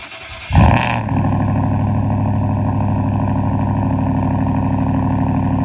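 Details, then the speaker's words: Cold start of a mostly stock, leveled 2023 Ford F-150 with 4-inch MBRP straight-pipe cat-back exhaust: starter whirs, engine fires with a loud bark, then settles into a deep, even, throaty fast idle; louder than usual. "I'm be honest I think that's probably one of the most wicked CS has ever done oh my God that was loud usually it's a little more tamame than ramps up"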